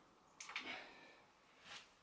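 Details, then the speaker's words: 1984 Hite Rite dropper seat post in a 1989 Diamond Back Ascent, before cleaning and filing the seat tube: dry metal-on-metal grinding as the post turns with heavy resistance in the tight, dirty seat tube. "it turns fairly freely but there's a lot of resistance there you can hear that grinding so that isn't i mean when i pulled it that isn't going to slide in and out easily it takes quite a bit of effort to move it up and down"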